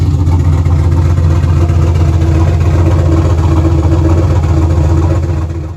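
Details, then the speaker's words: SN95 Mustang with a swapped Gen 3/4 6.0 LS (stage 2 cam, 243 heads) running with only the downpipe fitted; very loud, deep, lumpy idle with choppy cam lope and raw blat; loud exhaust from open downpipe. "oh she's running live it's pretty loud too it's a downpipe on"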